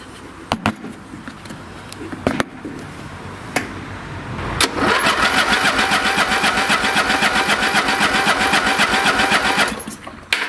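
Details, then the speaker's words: Late-1980s/1990s lawn tractor with a gummed-up carburetor (smells of turpentine), small substitute battery: steady, even cranking at about four strokes a second with no firing; cranks but won't start before gas is sprayed into the carb. "okay before I burn out the battery here I'm going to spray some gas right in the carb now this carburetor must be gummed up because I can smell turpentine"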